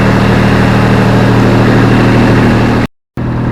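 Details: Grasshopper mower with Kubota diesel just after a clean start: smooth, steady low diesel clatter at even idle, no misses or knocks; healthy.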